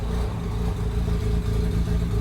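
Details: Mazda RX-8 rotary with a stalling-at-idle problem, about 10 minutes into the idle relearn after a reset: smooth even hum holding a steady low note with no dips or stumbles; it finally holds a stable idle.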